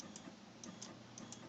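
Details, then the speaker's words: RepRap Prusa Mendel Y-axis stepper after swapping the X and Y axis connections: light, crisp ticks at an uneven stepping pace with no grinding or stalling, normal stepping. "and here is the y-axis with the switch I have made and it works rather well"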